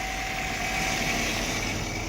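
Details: 2005 Nissan Altima that would not start, revived by cleaning the intake sensor, fitting a fresh filter, sweeping sand from the intake manifold and adding 10W-40 oil plus engine repair grease; alternator running, belts look okay: even, steady idle with faint accessory whine, no misses, knocks or squeals.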